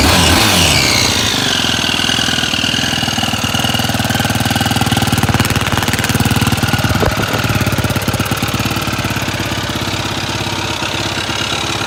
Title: Yfz450r weird engine noise